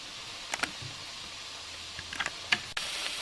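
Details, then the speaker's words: Autoclave heating with the vent valve open and the gauge at zero pressure: a few light clicks, then a steady airy hiss as steam and droplets escape. Normal venting, left for five minutes before closing the valve. "you can hear the hissing you can see some droplets of water being expelled by the steam pressure"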